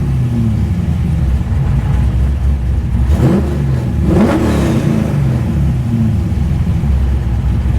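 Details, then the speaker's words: 416ci LS stroker in a Nissan S13, freshly rebuilt, being retuned on VEMS: a quick blip to about 3000 rpm drops straight back to a steady idle with no dip, undershoot, overshoot or air-fuel spikes. Clean return to idle. "Settles back in. There's no dip. There's no undershoot. No overshoot. It's clean."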